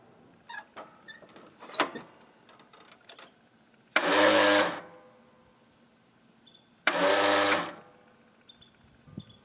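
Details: Craftsman L9 lawnmower with a failing starter: two short strained whirs about three seconds apart and the engine never turns over; cleaning the corroded connections didn't help, and the solenoid is checked next before the starter is replaced.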